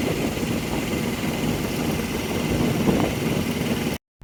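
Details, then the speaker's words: 2020 Freightliner Cascadia (DD15) Thermo King APU diesel that would not start, after coolant was topped up: a small diesel runs at a steady, even pace with no knocks or misses; normal running after the coolant fix. "there we go by adding coolant our thermo king is working again"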